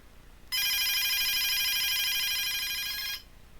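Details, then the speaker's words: DSE FP-200 telephone ringer circuit (ROHM BA8205 ringer IC) fed 20 V DC directly, bypassing LEDs and capacitor: bright warbling trill about two and a half seconds, stopping cleanly; ringer circuit works. "so yeah it uh it works obviously the ringer works the circuit Works"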